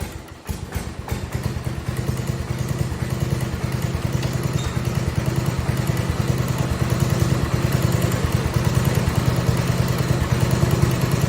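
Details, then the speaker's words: 1971 110 single-cylinder after flywheel and starter change, before ignition conversion from magneto to battery: thumping picks up and holds steady with throttle, even firing, no misses or knocks; running much better. "let's give it a little throttle yeah that sounds a lot better"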